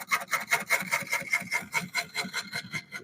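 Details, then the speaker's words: Wood lathe turning a cypress bowl: a scraping cut breaks into steady bangs, about two and a half a second, as the gouge meets the warped blank and moves the turner in and out. Interrupted cut on an out-of-round workpiece. "See how it's moving me in and out? That's that little bit of a warp that's in the wood."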